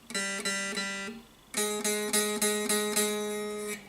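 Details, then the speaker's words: Tradition S-2000 Les Paul guitar: repeated open G string plucks with a bright, rattling sizzle, fret buzz also on the B string, caused by a popped-up high fret near the first fret. "if you go to the B string this is open then you can really hear how that how the string is actually buzzing and and the same here for the g-string"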